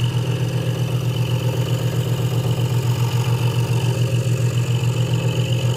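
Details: Hegner Multicut 2S scroll saw cutting wood after the blade protector was moved back to stop a rattle: a fast, even buzzing pulse over a steady low hum with no rattle or knock; the saw is cutting smoothly and normally.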